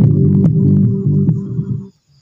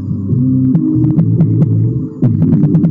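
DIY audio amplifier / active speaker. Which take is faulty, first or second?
first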